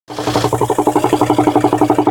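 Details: 2003 Volvo V70 D5 diesel idling: loud, even pop on every pulse, roughly ten a second. Popping noise at idle; vacuum or engine mount issue suspected, not confirmed.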